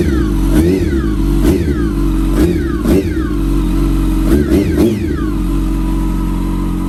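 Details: 2006 Yamaha R1 salvage bike, first running, revving cleanly but with a thin whine rising and falling with throttle blips, almost supercharger-like; owner suspects clutch, source unknown.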